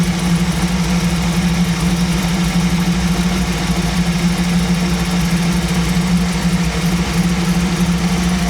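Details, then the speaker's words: 1937 Buick street rod with new BluePrint 350 crate engine during break-in, choke off, carburetor idle mixture screws set at one turn out; deep even low rumble at steady idle around 850 rpm, no miss or surging; mixture about right. "That sounds a little bit better. Sounds a little bit better. Still about 850."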